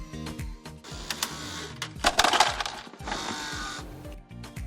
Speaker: The rattling sound you're hearing could be the ice dropping into the ice storage box.